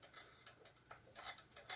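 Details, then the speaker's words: Clock about 78 years old, needing a new cord: turning the time-set knob gives quiet, uneven scratchy ticks; movement still turns but is dry and crunchy, needs oil. "oh yeah still moves could use some oil though it's a little crunchy but still moves"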